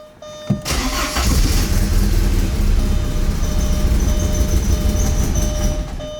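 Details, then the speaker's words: 1987 Porsche 944S, 16-valve 2.5 naturally aspirated engine, after engine swap and new fuel line and fuel pump, cold start: cranks briefly, catches, settles into rough, uneven idle needing fuel; cold-blooded, loud fuel-pump noise now gone. "oh you get some fuel she's a little cold-blooded"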